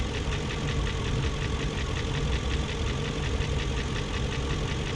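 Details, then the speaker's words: 2001 BMW E38 740i at steady idle, no load, after Vanos rebuild and new Vanos distributors and intake cam-end gaskets: fast light ticking riding over idle; lifters checked, spark plugs tight, no codes, top-end tick cause not yet found. "and it's still making that ticking more all the spark plugs are tight it's right here just like"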